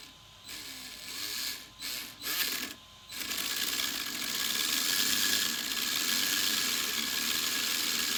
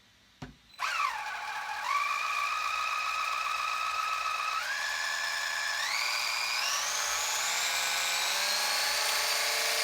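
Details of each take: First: Sweet Tooth RC truck, new motor installed: stuttering bursts then steady raspy high whir; previously the pinion with the 72-tooth gear ground without good contact, replaced with a 21-tooth pinion. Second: RC Sweet Tooth truck build: newly installed motor with replacement gear set (old gears didn't fit or work), motor wires swapped, first bench test; clean electric whine climbing in steps with throttle, pinion meshing smoothly with spur, no grinding or crackle; normal motor and gear run.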